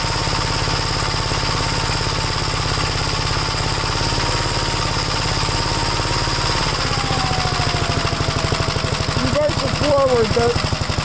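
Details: Gravely tractor small single-cylinder engine started again after gas tank install and throttle rod tightening: steady even thumping beat at fast idle dropping to a slower steady run; normal running.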